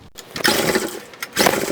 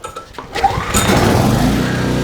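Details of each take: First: Trash-picked 2005 Craftsman 5600-watt generator (model 580.325601), 10 HP Briggs & Stratton 204412-0147-E1, fresh oil and gas, choke on: two pull-cord rips spin the engine with no firing. Fuel delivery or carburetion is suspected. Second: Trash-picked 2005 Craftsman 5600 W generator, 10 HP Briggs & Stratton, restarted with a 1400 W heat gun plugged in: pull-start, then a steady, even drone that holds under the load; making power, with slight sputtering possibly from a carburetor still needing cleaning.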